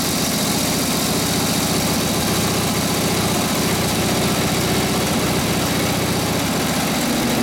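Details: 1936 Harley RL-frame bobber with later 1940s WL 45ci flathead V-twin, 1939-40 3-speed, after rebuild and points timing: steady even deep V-twin idle while warming up, no stumbles or misses; muffler sounds good, spits flame when revved; normal idle.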